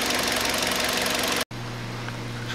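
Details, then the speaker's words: 2012 Hyundai Solaris 1.4 power steering: a steady hum audible inside the cabin grows when the wheel is turned and steering has become heavier; PSF fluid was changed, but the mechanic suspects the pump. "Зумерение. И когда крутишь руль, оно усиливается."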